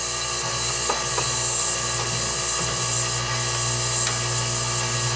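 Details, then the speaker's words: Bryant Carrier heat pump outdoor fan motor run by jumping its black wire directly to L1: steady, even hum with a light airy whir, no scraping; fan works, but the control board isn't feeding L1 to the ODF BLK terminal. "it goes it's turning you hear it see all the steam coming out that's what's supposed to happen"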